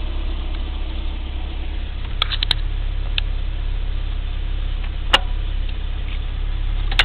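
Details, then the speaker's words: Engine warm after about 1.5–2 minutes on an 85°F day with new OEM IACV: low, steady idle settling to about 800 rpm, heading to 750, even beat, no knocks or misses; valve adjustment considered due. "I just wanted to show it's running about a minute and a half 2 minutes maybe on 85° day down to 800 it'll get down to 750 and do just fine"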